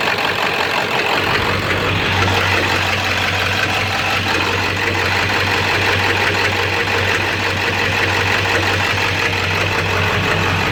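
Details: 7.3 diesel rough runner with no power, after high idle and street mode, going to bypass: irregular knock about three a second over low drone, owner says sounds like rod knock; raw-diesel puffing smoke, EGTs good, owner stumped.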